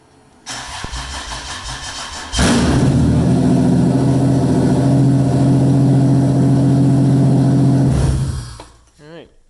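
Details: 1995 Toyota T100 after JDM engine swap, first start with accessories and belts disconnected, fuel primed by cycling ignition twice: under two seconds cranking, catches at once, settles into smooth even idle without knocks or misses. Normal engine start.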